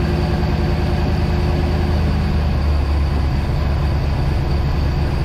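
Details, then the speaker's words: Project boat engines: the engine opposite the starboard one, which has a suspected rod knock, runs with a steady deep rumble, an even firing beat and no knocking. It sounds good. "This one sounds pretty good. I'll double check it because it could just be a lifter too."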